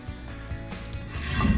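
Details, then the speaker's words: Freshly adjusted drum brake on a Chevy C-10 (small block 350, turbo 350), drum turned by hand: light, even scraping rub of the shoes on each turn. This slight drag is intended and normal. "You hear that drag? Yeah. It's perfect. Perfect."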